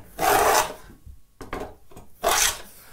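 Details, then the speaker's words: Plow plane cutting a groove in a mahogany board after the iron was backed off from digging in too heavily: two crisp, even hissing strokes, a good clean cut with the iron correctly set. "ah see that sounds better now it's still a little light though now let's push it forward just a little bit right there there we go that's better good clean"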